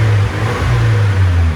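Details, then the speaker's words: 1999 Nissan Silvia S15 Spec R, SR engine, Blitz muffler, converted automatic-to-6-speed manual, 111,000 km, revved in car; deep smooth exhaust note rising and falling evenly, no knocks or rattles; normal revving. "engine started up fine as you saw there's no weird sound sounds like your uh typical Sr engine"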